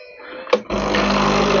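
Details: Nescafe Dolce Gusto coffee maker reassembled after fixing its pump: click, then steady buzzing pump hum holding even to the end as steaming water runs through the pod; brewing normally.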